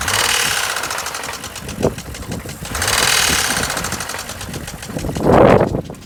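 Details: 2007 BMW X3 N52 engine with rapid even deep knocking that swells and fades with revs; rod knock suspected, unconfirmed.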